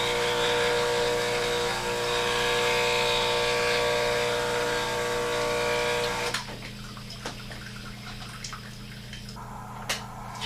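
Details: Breville BES250XL espresso machine after its failed pump was refurbished: a steady, hard buzz of the pump pushing water for about six seconds, then it cuts off to drips; pump working normally.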